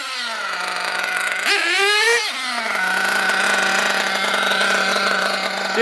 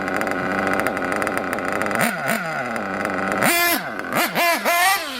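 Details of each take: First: RC nitro engine blipped to full burst, then hanging and running on at a high idle; the idle gap is too wide and the bottom end too rich, possibly with the high-speed needle slightly lean; the fix is to lean the bottom end and lower the idle. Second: RC nitro engine on pavement after carb retune: high-pitched buzzing idle, then sharp revs rising and falling quickly with only slight load-up, no bogging; crisp acceleration.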